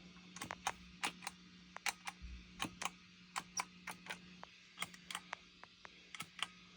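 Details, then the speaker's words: Moen GEC8 Jr pedal switcher with only output cable to amp, nothing else connected: sharp irregular pops about three per second over low amp hum when pressing switches; cause unknown. "as you can hear if I touch the pedals you can you can still hear a pop"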